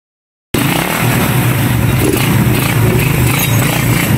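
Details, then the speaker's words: Raider 150 single-cylinder motorcycle after fixing the CDI fault: starts and holds a steady, even beat with no cutting out or backfire popping when revved; now running normally. "na yung kay boss naandar na Tapos pag nive natin Ayos na hindi hindi na namumutol mog okay na"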